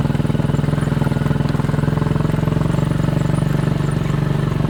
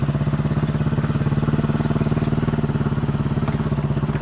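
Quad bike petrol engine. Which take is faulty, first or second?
second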